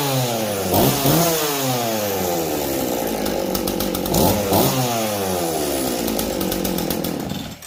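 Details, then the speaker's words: Jonsered two-stroke chainsaw (425 or 490) back up and running, choke off and getting oil; revs up and down cleanly with crisp, even firing and no misses. Normal, healthy running. "Let me try it? Sure. Sounds like it wants to run."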